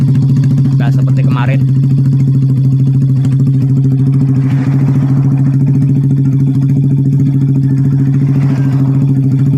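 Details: Old Vega R bored up with a Kawasaki Kaze oversize 50 piston, previously smoky and rough, after rebuild with exhaust fitted: steady even idle thump about three or four beats a second, no misses or knocks; normal idle.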